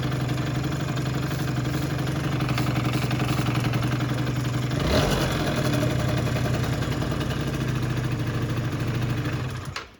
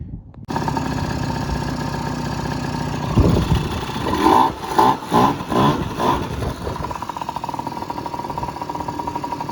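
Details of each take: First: Yamaha Jog two-stroke scooter on an about-85 main jet, tuned for the stock airbox before the pod filter is fitted: a steady idle with even popping and a short rev blip, then it settles back smoothly, running healthy. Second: Yamaha Jog two-stroke scooter with a pod filter and home-drilled jets (idle jet drilled to 22 thou, about a 53): it starts, stumbles through a few throttle blips, then settles into a slightly lean idle, not as good as with the stock airbox.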